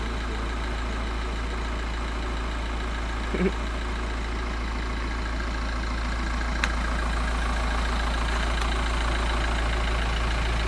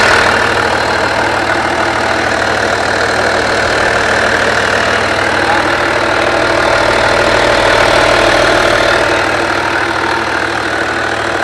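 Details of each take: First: Skoda Superb Mk1 2.5 TDI V6 diesel, sat since March 2020 with a burst boost hose, idling: quick rhythmic puffing tick of about 200 a minute over a low rumble. At first thought an EGR leak, it is a leaking repair at the back. Exhaust leak. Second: Skoda Superb Mk1 2.5 TDI V6 diesel, run again after sitting unused since March 2020, with a burst boost hose that caused black soot from a wrong air-fuel mixture: even diesel clatter at idle, steady unhurried rhythm, no hunting or stumbling; idling normally.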